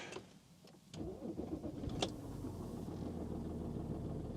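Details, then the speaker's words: Used luxury car, possibly with Multitronic gearbox, "service due" warning on; slight rattle for a couple of seconds on startup, timing chain or top end until oil reaches the top, then settles. "Ooh, slight timing chain rattle there on startup for a couple of seconds. Either that or a little bit of a top end rattle until the oil gets all the way to the top."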